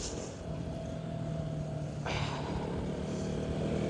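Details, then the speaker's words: KTM Duke 200, fully serviced, after replacing the accelerator cable: engine hums steadily then revs rise cleanly and smoothly as throttle opens; crisp, healthy throttle response. "ആ response ഉണ്ടോ, സീനാണ്, ഭയങ്കര സീനാണ്."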